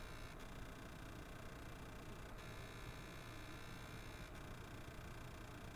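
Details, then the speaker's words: PlayStation 5 with its fan at minimum speed: a faint, steady, high-pitched coil whine over soft hiss, heard in God of War and slightly in Demon's Souls; its pitch shifts between performance and cinematic modes and disappears on the home screen. "you can hear the frequency of it adjust automatically when switching between performance or cinematic mode it even disappears automatically when going right to the home screen"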